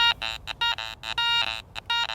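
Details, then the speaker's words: Garrett Ace 400i bench test on a bottle cap with iron audio on and iron notched out: choppy broken tones with grunting iron flanking on each sweep, so it is not a good target. "now I'm getting some of those grunt sounds, that iron flanking sound, that tells me it's not a good target."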